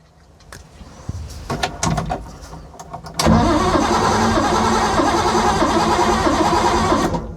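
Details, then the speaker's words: Ford Capri 3.0L V6 race car replica that sat 20 years, cranking on a booster pack after the battery dropped off: the starter spins the engine briskly and evenly with no dragging; normal cranking. "It's turning over a lot nicer now."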